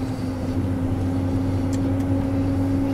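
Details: 2001 GMC truck started cold on a freezing day: the petrol engine idles steadily and slightly fast, with an even hum and no knocks, normal cold fast idle.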